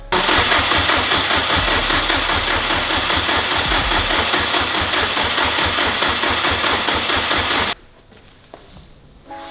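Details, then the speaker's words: Built Subaru WRX STI, first start attempt: steady, labored cranking at about two and a half pulses a second, then everything cuts out abruptly as the jump pack dies mid-crank; the no-start was later traced to swapped fuel lines. "and our jump pack died well since we already went through two jump packs I don't want to wait another couple hours for us to charge we have Bose's truck outside and we're going to jump this"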